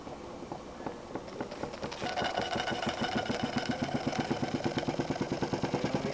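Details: Jensen 20G steam engine, bought used, with a non-factory rubber or silicone cylinder seal; sharp, regular bumping knocks about three per second, strengthening with speed, from a seal fragment loose in the cylinder. Fixed by remaking the seals properly.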